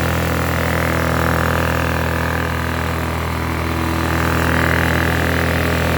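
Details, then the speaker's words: Blackridge 800 W inverter generator, possibly a 2014 model, after running about 15 minutes on poor fuel: steady even hum holding constant speed, no misses, knocks or surging; running healthy. "appears to be nothing wrong with it it's running on some shitty fuel"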